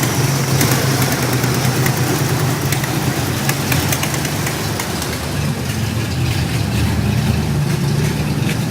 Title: 93 5.0 rough idle